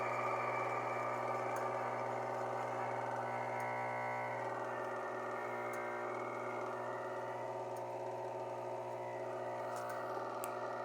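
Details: Belt-driven motor with worn bearing: steady low hum with rough whirring that grows louder as belt load increases.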